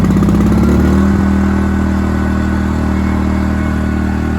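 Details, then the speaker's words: Inverter gasoline generator, first pull start with choke/start position and eco throttle off: settles into a smooth, steady low hum with no surging, quieter than conventional generators. "That's what I like about these inverter generators, guys. They're a lot quieter than other generators."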